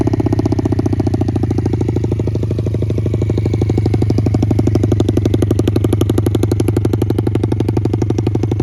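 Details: 2006 Yamaha TTR50 single-cylinder after carburetor cleaning and new battery; rapid even putter at about four beats a second, holding steady with no stumbles. Normal running.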